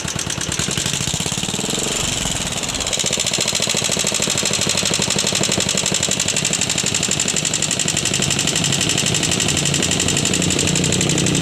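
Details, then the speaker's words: Yamaha Jupiter MX at idle: fast light ticking over steady beat, persisting after rocker arms were replaced. "kawan-kawan jadi seperti ituah suara ngitik yang terjadi pada motor Jaha jupitar MX ini"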